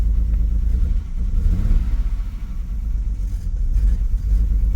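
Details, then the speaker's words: Salvage 2007 BMW X3 manual, bought as a non-runner, at 194,000 km with the harmonic balancer apparently off; now running on its own power without a jump box. It catches and runs ragged, the rumble dipping and stumbling: a big misfire of unconfirmed cause. "Guys, it runs under its own power. No jump box connected at all. It does have a pretty big misfire."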